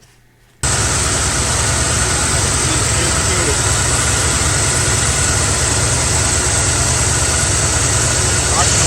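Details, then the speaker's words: Carbureted Mustang idling at night: loud, slightly uneven idle with faint stumble; driver-side spark plug wire arcing to the header grounds out that cylinder, causing misfire and erratic idle; wire to be replaced. "s trying to shut it off it's trying to ground it out hence the misfire or the erratic idle so yeah I got a bad spark plug wire there that's arcing pretty bad"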